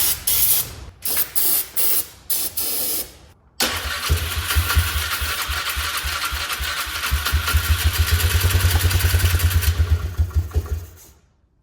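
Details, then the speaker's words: Polaris Trail Boss 325 four-stroke ATV, probably 2004, parked 12 years, on starting fluid: several short cranking bursts, then it catches and runs ragged about six seconds before dying; carburetor suspected to need cleaning; starts on starting fluid then dies. "It ran. That thing was running. [Music] I think I'm going to have to clean out the car cuz it's not running correctly."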